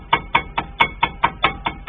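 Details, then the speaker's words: Car brake caliper rattles over gravel but stays silent on smooth asphalt: sharp, even metallic clacks about four or five a second as the caliper is rocked, showing play from guide pins worn over the years. "по асфальту по ровному едешь все тишина как только гравийка вот это говорится этот шум меня уже тоже достает в итоге до гремит support изношен уже направляющие с годами"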